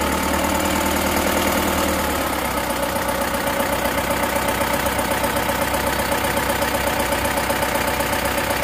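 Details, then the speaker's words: Bison diesel (engine as Panther Turbo Euro 2), repaired several times before, just started after rebuild: smoother than before but harsh regular clatter about four times a second at idle; knock from injection pump timing not yet correct. "tapi ini untuk timing bos pomnya Masih belum pas ya suaranya masih ngelhat masih kasar dengarkan terlalu kasar dia"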